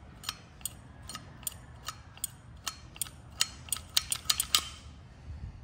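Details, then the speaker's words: 1950s Sears and Roebuck gear-drive chainsaw recoil starter, repaired without parts: crisp ratcheting clicks roughly two a second, quickening with the pull, as the starter dog comes out and catches cleanly; working normally. "look right here that dog dog is coming out just like it's supposed"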